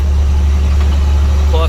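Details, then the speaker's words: International light-rated diesel truck, running loaded with a flatbed and with weight behind the rear axle, on 19.5 tires: a deep, steady drone under load with a raw, loud exhaust note from an exhaust leak through a hole in the downpipe. "you can hear the exhaust there's a hole in the downpipe like a lot of them ha"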